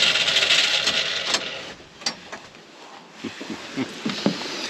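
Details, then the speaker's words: Farm engine just after its starter was refitted: the starter whirs, then the engine turns over in an uneven chug of about four beats a second without catching. A rotten gas smell was noticed while cranking; owner suspects stale fuel. "well there you have it she's turning over now I think it's just a matter of time before this thing starts on its own"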